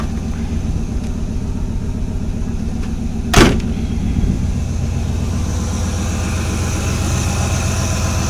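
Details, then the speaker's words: Pontiac 400 V8 with Edelbrock intake and Chinese carburetor, just warmed up after start below 30 degrees without choke; steady even low rumble at idle, no misses or knocks, one brief click, healthy idle; owner thinks it runs slightly lean. "So yeah, this Chinese carburetor is doing pretty well. Idling pretty good. I'm not gonna rev it, you know, it's just warmed up."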